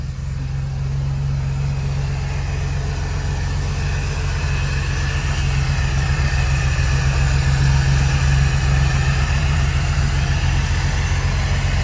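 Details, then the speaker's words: Supercharged Toyota Hilux LN106, first run of the rebuilt engine in the shed after a rollover: a deep, steady idle with a low, even pulse and no misses or knocks. Normal idle. "Not only is it in there, but it runs in there. It definitely runs in there, and I'll prove it. How good does that sound?"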